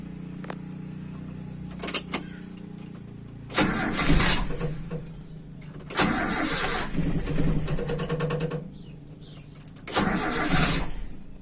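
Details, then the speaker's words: Toyota Kijang Super carburetted engine after jet changes, cold start after about 8 hours off, no throttle: three cranking bursts before settling; needing throttle means the mixture is still too lean. "jadi perlu diinjak pedal gas itu berarti campuran masih terlalu miskin"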